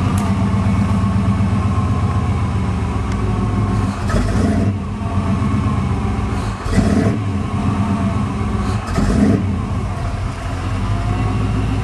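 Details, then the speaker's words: 383 stroker engine with 454 injectors on tuning chip #5, runs rough at light throttle and bogs and stumbles on gentle opening before revs pick up, may stall; idle surge and some ping; chip tune suspected. "Okay, this is chip number 5 with the 454 injectors. The hesitation. She'll stall right out."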